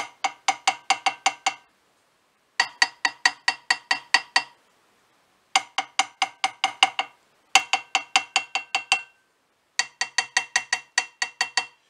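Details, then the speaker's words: BSA A65 crankshaft out of the split crankcases: quick hammer taps on the flywheel webs give clear, bright, similar ringing on both sides, a healthy ring suggesting no crack. "they're making a very similar noise to each other and quite a sort of healthy sort of ringing so sound"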